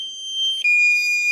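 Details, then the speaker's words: DJI Mini 2 drone at 12% battery sounds its low-battery warning. A shrill, continuous high alarm tone steps down in pitch after about half a second and holds. "We're running pretty low on battery, so it makes this screaming noise when it gets too low. I've got 12% remaining, but it's not very happy with me at all"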